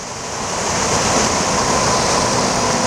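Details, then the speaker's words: Bench test of a mid-90s GM (Cadillac Deville/Eldorado) HVAC programmer's blower output. Loud air whoosh builds on high-speed start, then holds steady and slows, with no squeal or rubbing; the blower works normally. "so we're gonna turn the fan on and you're gonna watch the blower motor spin now this is kind of violent and loud but as you can see it works it's a high and start it slows down"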